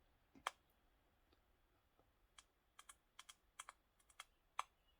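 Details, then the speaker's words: Game Boy Advance SP with added audio amp at max volume, at power-on: sharp irregular speaker pops with no game audio as the capacitor charges; amp's power draw also triggers the low-battery light early. "You hear it popping. This is the capacitor gaining charge."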